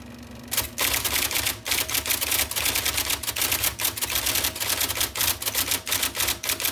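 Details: 1979 IBM Selectric II (non-correcting), revived after fixing a miswired plug and cleaning and lubricating: fast, crisp, even clatter of firm, definite keystrokes over a faint motor hum; normal typing.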